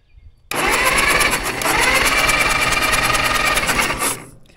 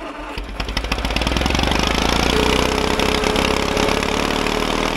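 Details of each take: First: Caterpillar dozer parked since 1992, gasoline engine with magneto: about four seconds of steady whirring cranking that never fires; no spark, so magneto breaker points to be cleaned. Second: Caterpillar dozer parked since 1992, gasoline pony engine after filing corroded breaker points: cranks, fires and picks up to fast even chatter holding steady; runs cleanly now spark is back.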